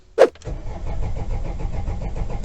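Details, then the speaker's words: Opel/Vauxhall Vivaro diesel van cranks steadily with no catch after firing briefly for a few seconds and cutting out; check engine light briefly came on; cause traced to fuel starvation from a holed priming bulb and faulty fuel line, later replaced. "it did fire up briefly for a few seconds and then cut off and now it's just cranking"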